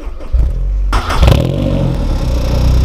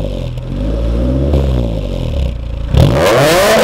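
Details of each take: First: Honda S2000 at start-up: engine cranks and catches, then a light metallic diesel-like chatter over idle for a few seconds, not always present; timing chain tensioner rattle, advised to replace it as it can damage the chain. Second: Honda S2000 revving repeatedly: smooth pull with a clear horn-like exhaust drone between 3000 and 4000 rpm, another drone at 7000 rpm; VTEC engages at 6000; sounds healthy.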